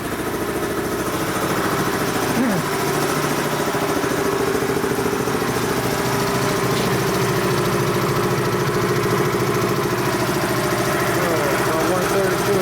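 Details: Dayton 240V 7-1/2 hp shop air compressor under repair, pressure switch spring tension being adjusted: steady even pump chugging about three and a half beats a second, building from about 132 toward 157–160 psi; normal running up to pressure.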